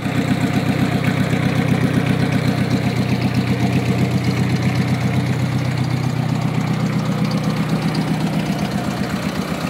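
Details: Gutbrod 1050 tractor fitted with a used VW Polo engine the day before, first start attempt after connecting the injection pump coil: steady diesel clatter with an even idle pulse, no misses or knocks; runs smoothly.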